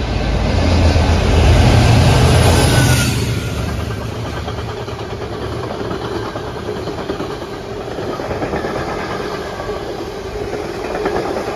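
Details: Diesel locomotive on 6K30 roars past, then wagons follow with a steady, rhythmic pounding of about three hits a second from wheel flats.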